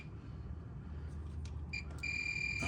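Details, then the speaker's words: EZGO 36V PDS golf cart: multimeter continuity test gives a brief blip, then a steady high-pitched beep over a low background hum; the meter's continuity check works normally. "this this a meter you can hear it zero out take your meter unplug it can you see it all right one lead there one lead there and you hear a zero and out"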